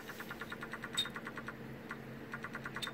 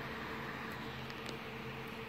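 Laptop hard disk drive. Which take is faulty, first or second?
first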